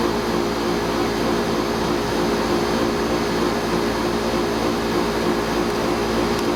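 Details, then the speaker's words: Pentair 140 pool heat pump after fitting Brinmar compressor sound blanket sealed with duct tape: steady even hum, low drone and fan rush, no knocks or rattles; normal running, probably a few decibels quieter. "is a little quieter objectively it probably reduced it by a few decibels"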